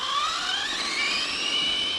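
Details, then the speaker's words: Arrma Typhon 3S RC car after repeated jumps, crashes and a full-throttle landing on concrete, with gear mesh never checked: the drivetrain makes a shrill, rough, buzzy whine rising with motor speed as the spur gear strips. "and the transmission the drive train is making a funny noise"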